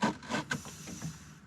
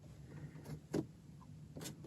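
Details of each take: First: VW Mk1/Mk2 Cabriolet with AC, vacuum-controlled dash vent selector: a short run of dry rubbing squeaks over a faint vacuum hiss as the stiff lever moves, rubber binding on plastic. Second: VW Mk1/Mk2 Cabriolet vacuum vent selector, after reassembly and lubrication with silicone lubricant to fix a stiff lever: a few dull clicks and thumps as it moves between positions, no squeak; it works smoothly, like new.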